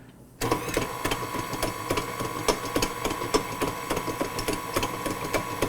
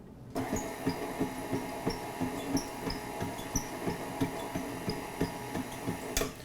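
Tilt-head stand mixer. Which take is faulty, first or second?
first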